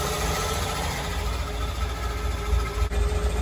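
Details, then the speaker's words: Twin Crusader 350 marine engines in a Pacemaker 36 SF, after fixing overheating caused by broken belts and a torn hose: steady low rumble with an even beat, no knocks or misses; smooth healthy idle, "purrs like a lion". "it's satisfying hearing the purr of the twin Crusader 350s I told my kid she purrs like a lion"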